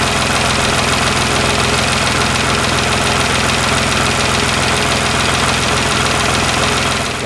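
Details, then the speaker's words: Nissan GTR before adding nano-diamond lubricant, recorded as a baseline: steady idle with fast light ticking, about three or four clicks a second, over the engine note; source unclear; engine ticking at idle. "so this is engine running without any of the lubrication added let's have a listen to how many clicks and whatnot are going on at the"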